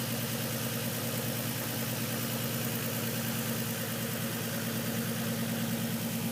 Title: 350z misfire/slight knock